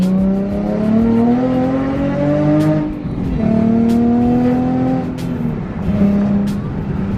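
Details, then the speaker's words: Nissan 350Z with a newly installed aftermarket exhaust accelerating through the gears; a smooth, clean exhaust tone rises in each gear and eases off between shifts, really quiet with no rasp or drone; normal exhaust. "Bro, it sounds clean. It's quiet, bro. Honestly, it's really quiet."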